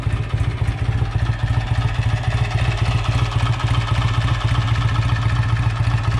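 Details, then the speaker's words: Rebuilt BSA A65 Lightning twin, just started on the first kick after rebuild: crisp, even twin beat at a fast idle, about four pulses a second, steady and strong with no knocks or clatter; healthy engine. "got a beautiful sound. Oh, it's lovely."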